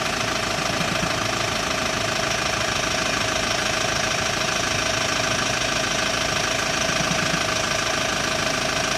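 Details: Hyundai ix35 diesel, cold engine idling during warm-up: sharp, fairly steady knock around three per second over the clatter, gone after warm-up; dealer technicians cannot find the cause, cold-start knock.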